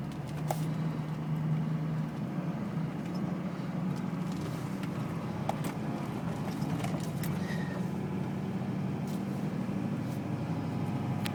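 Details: LLY Duramax V8 diesel idling rough at stops with deep uneven rumble and sharp fuel knock about four times a second; white smoke.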